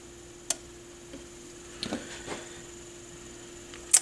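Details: 1960s Sonora S6410 portable tube record player during repair: a few sparse light clicks and a sharp clack as the record changer cycles, over a quiet hum; a normal changer cycle.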